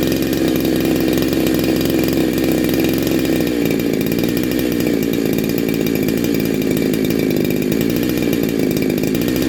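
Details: Neo-tec NH872 chainsaw (372XP clone) with a big bore kit and stock gasket, on a cold start during its second heat cycle. A crisp, even idle climbs smoothly to a clean high rev with no misfire or bogging, sounding awesome and healthy.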